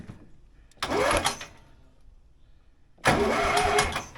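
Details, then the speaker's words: Zetor 3340 tractor sat 5+ years, new ignition switch and battery, throttle off, cranked without starting: two even, free-spinning cranking bursts of about a second; engine turns over, not seized. "Okay. It turns over. That's good. That's all I want to do."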